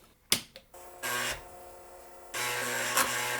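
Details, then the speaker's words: IBM XT 5160 floppy drive after replacing the two bad tantalum capacitors on the floppy controller, which had stopped it booting: a couple of sharp clicks, then the motor spins and the head seeks evenly; the system boots normally. "And that sounds good. And it boots. Well, that was kind of interesting. Never had this happen before."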